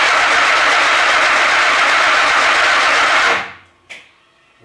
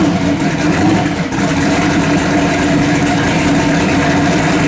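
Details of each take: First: Chevy S10 race truck, first start attempt after engine rebuild with different cam; cranks about three seconds under a harsh buzz, never catches; MSD ignition box faulty, constantly triggering and arcing once ignition is on. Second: Finished S10 race-truck V8 on solid mounts, with a faulty MSD ignition box causing rough running and no-starts due to be replaced: a steady, even idle with no misses or stumbles.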